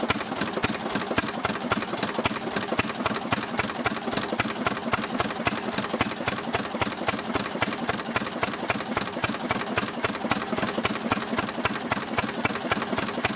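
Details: Restored 6hp Fairbanks Morse Model Z stationary engine on kerosene driving a buzzsaw cutting firewood: even, regular firing beat roughly 110 a minute, steady and unlabored; normal healthy running under load.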